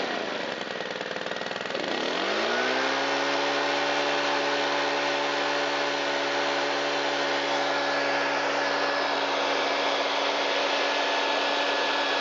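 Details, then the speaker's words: Shindaiwa EB254 Hybrid4 4-stroke handheld blower that had sat long and would not start, restarted after cleaning the air filter and foam filter and fitting a good fuel filter (valves not adjusted): a smooth, steady high drone with no surging or misses. It runs fine. "It runs fantastic and it's in like new condition, with a little bit of dirt on it."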